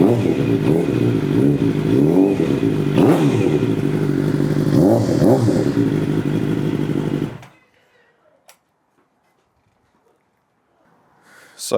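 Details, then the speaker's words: Rebuilt Suzuki GSX750 inline four, exhaust sound after fuel pump on; runs strong and revs cleanly with a crisp even exhaust note, then shuts off: healthy running. "Right, that all works. Right. Fuel pump on. Oh yeah. It sounds so good."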